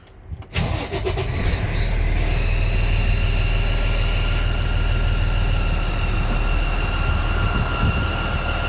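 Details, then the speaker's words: Freightliner M2 106 Business Class with Cummins diesel, loud squeal; starts and settles to fast idle with a steady high whistle over the rumble; black soot at cylinder 2 manifold flange: exhaust manifold gasket leak. "I can see some black sud around the flange where the gasket would be at, around this area on the inside."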